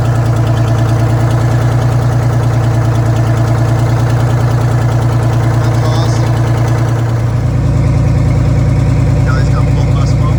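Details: Detroit Diesel 6-71 two-stroke in a vintage GM bus, idling with the old restrictive exhaust removed and no exhaust fitted: loud, raw, fast even bark, deep and unmuffled, open exhaust.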